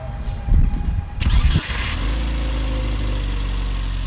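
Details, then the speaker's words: Classic Mini Cooper S Sport 5 after fitting a new starter motor and greasing the battery terminals, which seems to have cured its starting issue: brisk crank for about a second, then it fires cleanly into a steady, even idle; it sounds completely different, a normal start. "it actually sounds completely different when I start it up I'll show you in a moment"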